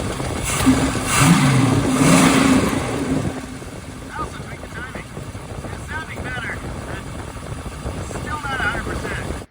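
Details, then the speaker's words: 1970 Plymouth Hemi 'Cuda V8, idle solenoid fixed and modified for four-corner idling, previously on seven cylinders: loping, uneven idle, smoother but not right; number one cylinder contributing off idle but weaker than others, number three compression 195; weak cylinder, rough idle. "seems to me that off idle number one is contributing but it's not doing as much as the others"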